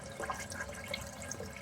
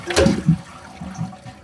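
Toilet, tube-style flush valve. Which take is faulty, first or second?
first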